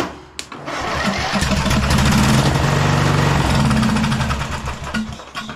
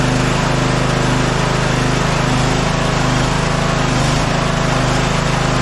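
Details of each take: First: Scotts 15/42 lawn tractor: there was no crank after a new starter solenoid was fitted because the black wire to its third post was knocked off. Once reconnected, the starter churns and the single-cylinder engine catches and runs roughly before shutting down. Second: Scotts 15/42 lawn tractor, cold day, engine oil very low, after key switch and solenoid wiring repair: steady even buzzy drone, no stumbling or misfires; running normally while warming up.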